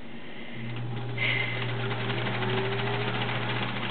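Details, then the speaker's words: Sears Kenmore Model 1774 sewing machine, 1.2 A motor: steady low motor hum with an even light stitching patter about four per second, no knocks or grinding; smooth, healthy running. "very very nice smooth machine I mean I I love these kores these the Ken Wares of this era"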